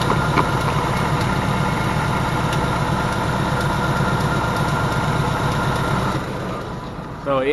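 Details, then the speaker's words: Engine at idle at about 12,000 miles, just after second oil change: light, fast tapping over steady idle; source unknown, owner plans oil changes every 3,000 miles. "it's tapping away right now like it's pretty bad and I haven't heard the noise that I can speak of since my oil change"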